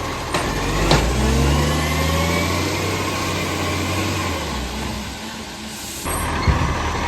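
Diesel revving then settling with a rough puffing tick at about three per second riding on the exhaust note; a leaking exhaust.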